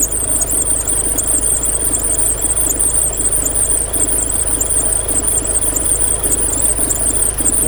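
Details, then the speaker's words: Porsche 944 (1984/1985), towed in with a crank-no-start fault that cleared itself during injector pulse testing, now running: shrill, steady, slightly pulsing high squeal over the engine from a slipping accessory drive belt. "belt squeal going on here"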